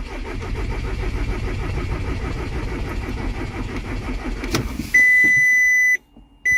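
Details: VW Passat diesel cranks but won't start: the starter churns in a steady chugging rhythm for about four seconds without firing, then a chime; the glow plug lamp flashes and codes P0322/16706 show no signal from engine speed sensor G28.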